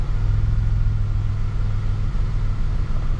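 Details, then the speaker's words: Vehicle, idle settling after sitting two days with a high idle and throttle body cleaner sprayed in; throttle position sensor (P0121) suspected; steady, even low rumble with no surge, hunting or misses; normal idle coming down. "And as we sit here, it's going to idle down. We already can see it going lower and lower."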